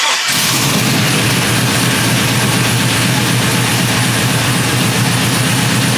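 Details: GMC 1500 single cab short bed after an engine swap, first start on a freshly flashed ECM tune, recorded walking to the exhaust. It fires into a loud, deep, choppy big-cam V8 idle, with good oil pressure while warming. Normal.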